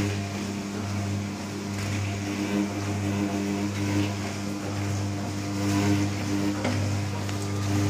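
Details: New Candy Trio 9501/1X running loudly: a steady low drone with a few higher tones, swelling slightly and ringing through the cabinet; loud resonant hum of unknown cause.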